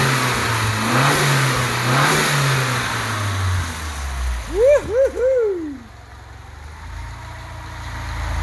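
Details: Datsun 510 now running on all four cylinders, idle not yet calibrated, lift pump removed so only the quiet main pump runs: a steady, even idle with a smooth low beat and a brief chirp midway. Normal idle.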